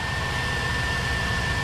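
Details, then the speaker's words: 2002 Chevy Tahoe 5.3L V8 with cable throttle, cold start after repair of a notorious bad intake gasket that caused popping and failure to idle when cold; even steady low rumble with faint constant high tone, idling smoothly. "so i think thing runs great spent a lot of money on stuff i didn't need to spend money on as you can see it's idling"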